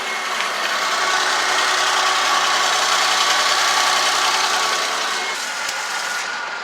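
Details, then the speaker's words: 2005 Pontiac G6 after front catalytic converter replacement for P0430 (old cat rattled at idle): steady even idle with smooth hiss, no puffing, ticking or rattle; no exhaust leaks, normal idle. "let's hear it let's see how it sounds south korean normal is no exhaust leaks"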